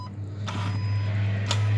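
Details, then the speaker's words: 2012 Kia Sorento 2.4L setting code P200A: intake manifold runner actuator turns with a low hum broken by two sharp clacks about a second apart; owner believes it is broken, replaced with a new intake manifold. "I feel it turning, but I hear an awful lot of noise in there, which is originally what led me to believe that it's broken, and the fault code that I keep getting, the P200A."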